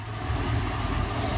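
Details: Boat with new spark plugs at a smooth, steady, even low idle with no misses or knocks, just after a start under two seconds; it earlier had hard starts and a 4,000 rpm limit. Runs healthy.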